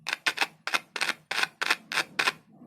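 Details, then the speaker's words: Speaker tested on a single battery cell by touching and releasing the lead: sharp crackly chirps, about eight short bursts in under three seconds; coil and cone working normally. "इसे छूकर फिर हटा लें, तो एक चहचहाने जैसी आवाज आएगी। यह भी सही है। इसकी कॉइल ठीक है, और इसकी स्क्रीन काम कर रही है।"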